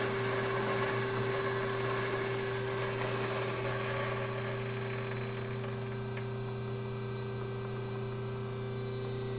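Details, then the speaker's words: Bevel gears on a hobbing spindle project, powered up: steady even low hum with faint quick rhythm. Backlash is small but not measured. Owner plans to add 10 thou to the mounting distance with a shim. Normal bevel gear mesh. "it's making just a little bit of a rattle sound and I'm not going to try to measure the Lash it's uh it's pretty small"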